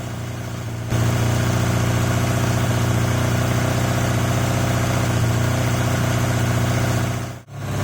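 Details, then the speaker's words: Yamaha XJ750 four-cylinder motorcycle: steady but lumpy idle running only on cylinders three and four, still nothing from one and two even on main jets; compression test and carb check planned next. "idle that's quite a nice noise considering that it is only running off three and four"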